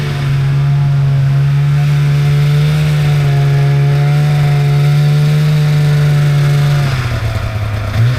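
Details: 1997 Polaris Indy Trail Touring two-stroke snowmobile, resurrected with carbs cleaned and oil pump bled, stock clutching, test ridden on a lawn without snow: strong, even drone holds about seven seconds then backs off cleanly, no misses or clatter; normal running under load.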